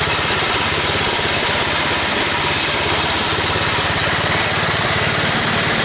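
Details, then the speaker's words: Toro 824 snowblower engine after carburetor replacement (previously stalled, hard to start, suspected sticking floats): steady even small-engine drone, no surging, stumbling or dropouts, runs in all gears with auger without stalling; normal running. "Well, she fired up. She stayed running. I was able to put her in all the gears and run the augur without it stalling out like it used to."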